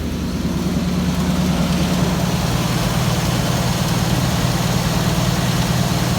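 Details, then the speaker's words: 1981 Ford F-250 bullnose auction truck that had been sitting, battery doubtful, first start on the trailer; deep, even V8 idle with steady low rumble, no knocks, misses or ticks, owner says it sounds incredibly good. "We're gonna leave them off because I'm sure the battery's not in great shape from sitting there, but that sounds incredibly good."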